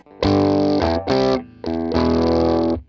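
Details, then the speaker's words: Vox AC100 build with all four power tubes fitted, turned up quite high: guitar chords break into harsh, fizzy clipping with a hard click and pop on each note; amp distorts badly at volume, cause not yet found (fine with two tubes). "And if we try and bring it quite high, you can hear it just sounds incredibly bad. And you hear that click, that hard pop."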